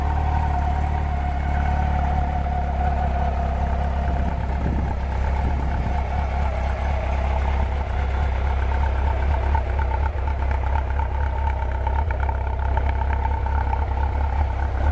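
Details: 1991 Honda CB750 Nighthawk, barely broken in, hydraulic self-adjusting valves: steady low exhaust beat holding an even idle with no knocks or misses; inline four sounds healthy.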